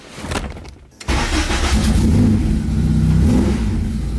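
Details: Acura Integra after track-event damage repair: petrol engine starts, revs briefly, then settles to a steady normal idle without hanging high; a small exhaust leak at the flex pipe is noted.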